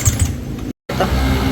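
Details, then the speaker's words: Yamaha Sniper 150: light rapid ticking over the idle; no oil reaching the head so rockers and cam tap dry, with coolant contaminating the oil through a failed water pump seal. "Walang umakit na langis. Walang langis mga boss. Yan, basta walang lumabas na langis dyan, alam nyo na."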